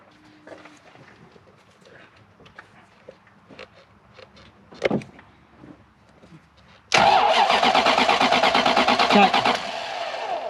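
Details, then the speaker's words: Toyota Soarer (SC400), 1UZ V8, dash reads fuel, spark present but fuel pressure dampener not popping: quiet fiddling, then about three seconds of even starter cranking with a small chuff at the end, never catching; crank no-start from no fuel pressure. "that sounds deered as a door nail oh there's a little bit of a chuff at the end there"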